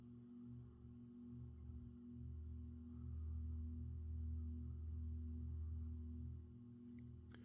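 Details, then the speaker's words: Another 1980s Saff Enterprise Flush Polo 52" hugger ceiling fan, on low speed: the same harmonic, quiet steady motor hum with a soft ringing tone that swells slightly. Normal motor hum. "once again the same harmonic sound and typical motor hum sound that the that these make"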